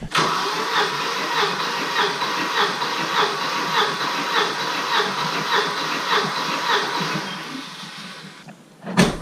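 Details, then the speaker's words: Volvo 740 with its original 425,000 km B230FT engine, cold compression test, plugs out: steady, even starter cranking at about 100 pulses a minute; this cylinder reads about 155, same as the previous one. Normal compression. "so yeah 155 perfect compression in this cylinder as well things are looking good"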